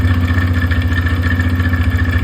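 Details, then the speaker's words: TVS Raider BS6 motorcycle engine just after start-up: loud, fast harsh rattle riding over a steady idle from inside the engine; mechanic notes it is not the crank making the noise, cause not yet pinned down. "तेज कड़कड़ाने की इसमें आवाज आ रही है। तो इसमें crank नहीं आवाज कर रही है।"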